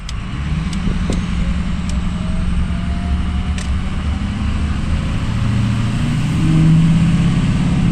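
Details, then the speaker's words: Ford 6.0 Powerstroke diesel truck after a new injector was installed. A deep, steady rumble stays even as the truck pulls away, with no miss or stumble; it is clearly running happier. "oh it's definitely a lot happier"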